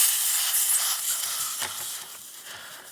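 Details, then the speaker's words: Umarex Zelos air rifle, at low pressure, degassed before tuning the regulator to about 1900 PSI by unscrewing the air cylinder: a sharp hiss fades steadily over three seconds; normal degassing. "So the easiest way to degas your rifle is to take off your cylinder, and that's just unscrewing it."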